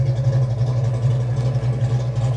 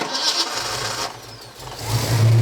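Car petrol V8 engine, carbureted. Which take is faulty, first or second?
second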